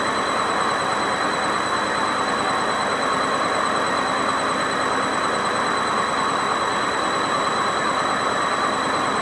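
Loud, constant high-speed spin roar with steady high whistling tones over it, no load sound; worn drum bearings growling at speed.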